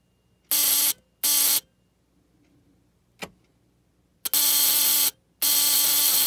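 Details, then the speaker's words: Model T buzz coil bench-wired to a battery, used for hit-and-miss engines: four short bursts of a sharp, steady electric buzz, starting and stopping cleanly as the circuit closes, sparking at the plug and points; normal. "you should hear the coil buzz you should see a spark on the plug"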